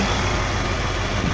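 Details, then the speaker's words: 2008 Pontiac Grand Prix 5.3 L LS4 V8 idling after new serpentine belt: steady even low rumble, no squeak or chirp; earlier slight belt squeak gone, no belt wobble, pulleys fine. "Absolutely no noise coming from this belt, which is good. It was squeaking a little bit."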